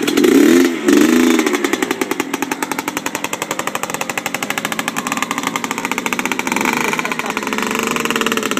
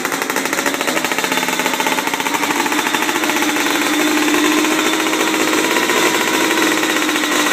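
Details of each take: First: 1997 Yamaha Blaster 200 two-stroke at first start after rebuild: revs up and holds high with a raspy, buzzing note but never pulls under load; owner suspects the clutch is not engaging or the transmission is burned out. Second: 1997 Yamaha Blaster 200 two-stroke, first start and break-in after rebuild: loud buzzy crackle at fairly steady speed, no knocks or grinding; engine healthy, though clutch suspected not engaging.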